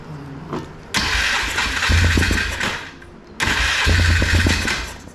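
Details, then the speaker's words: 2005 Polaris Trail Boss 330, not run in years, airbox refitted: starts and settles into a raised, slightly hunting idle, fast because contact cleaner was sprayed on an intake boot air leak; fast idle from intake air leak. "it's kind of idling a little fast because of the contact cleaner we sprayed on that air leag"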